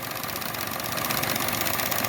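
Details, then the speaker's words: 2013 Chevy Sonic LT hatchback at idle with lean codes, microphone close to the engine; a steady airy hiss over the idle from a vacuum leak of unknown location, later smoke-tested through the intake manifold. "me getting really close to the engine right here I could hear hissing I could hear a vacuum leak don't know where it's coming"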